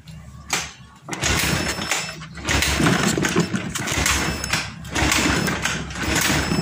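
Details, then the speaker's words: Honda Scoopy FI scooter that died after the owner cleaned its tank, fuel pump pressure only reaching 20: starter churns in uneven, weak bursts and the engine never catches or idles. Crank no start, a fuel delivery fault. "Oke, di sini tidak mau menyala Pak. Padahal di sini sudah menunjukkan ke angka 20, namun di sini kekerdetan Pak."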